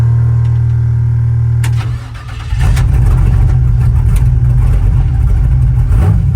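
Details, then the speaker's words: 1966 C-10 rat rod, 5.3 LS V8 with ATM carburetor, had been fouling plugs, choppy and lean stumble on throttle; after ignition box tuning and accelerator pump change: fires right up, steady even idle and clean rev, smoother. "Fires right up. It's already feels smoother already."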